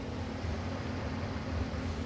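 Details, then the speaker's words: Amplifier cooling fan after repair, with a brand new fan motor and fan blade fitted after the primary 110-220 side was damaged. A steady, even low hum and soft airy whoosh with no ticking or scraping; runs smooth and healthy. "Brand new fan motor, brand new fan blade. Listen to that thing"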